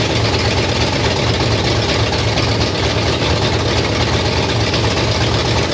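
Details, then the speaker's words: 1968 Pontiac Firebird V8 parked 30+ years, after new plugs: deep, loud rumble with a slow, even lope and no knocks or rattles; old motor running steadily. "all right I ret topped off my fuel jug we going to see if this Joker will run one more time just cuz I want to hear it run"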